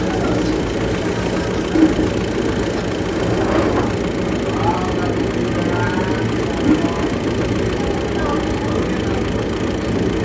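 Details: Hino diesel idling steadily with a dull rhythmic tapping buried in the rumble: engine knocking at idle, cause not yet identified.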